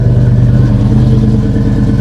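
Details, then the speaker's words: GM V8 just jump-started from a dead 7.9 V battery: steady, even low burble at idle with no ticks, knocks or misses; normal, smooth idle. The alternator charges at 14 V. "Oh, I like that. Okay, this sounds nice."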